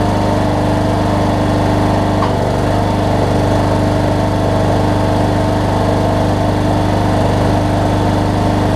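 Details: Cub Cadet riding mower with a Kohler Courage single-cylinder engine, after a HIPA carb kit replaced a carburetor that leaked gas out the exhaust. It idles smoothly and evenly with a steady low thump, no misses or knocks. Healthy.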